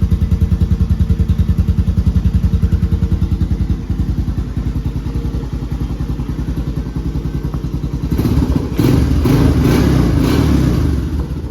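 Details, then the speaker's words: Honda TRX 250X quad on its stock OEM exhaust (called restrictive), before the HMF exhaust install. Steady single-cylinder thump about three and a half beats a second, even and clean, then a few throttle blips; healthy idle. "So it actually doesn't sound horrible, but I'm excited to open this up, put it on, and hear what the new one sounds like."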